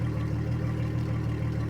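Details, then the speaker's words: 2003 Yamaha 225 four-stroke outboard, after fuel flush, idling at 750 RPM per live data: smooth even low hum with steady beat and no knocks, ticks or misses; running cleanly. "So, we're at 750 RPM, right? So, we know that that's functioning."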